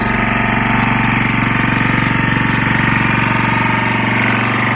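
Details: Lombardini 6LD260 air-cooled single-cylinder diesel on a traffic sign, cold start after 10 years unused, old diesel purged, fresh fuel from remote tank: steady even idle thumping against the alternator, no knocks or misses, slight smoke; running healthy.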